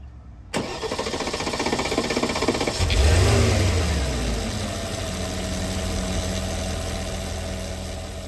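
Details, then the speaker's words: 2013 Porsche Cayenne Turbo 958 V8, 84k miles, after an eBay high-pressure fuel pump was replaced with a factory Porsche part and the ignition cycled to bring fuel pressure to 5800–6000; a short crank catches at once, flares and settles into a smooth idle. "So this engine's ready to start. Fire this baby up."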